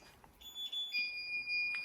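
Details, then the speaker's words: Intrusion alarm panel emits high two-pitch electronic beeps in a small room, alerting it has lost mains power and is running on battery backup during a deliberate power-cut test of emergency lighting; generator not started by this cut. "You can hear our intrusion alarm is still up and going on battery backup."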